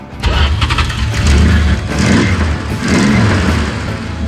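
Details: 1976 Dodge Dart with a 318 V8, headers and an Edelbrock Performer intake, bought unseen and started for the first time: over background music it cranks briefly, catches and settles into a strong, even rumble; a healthy start.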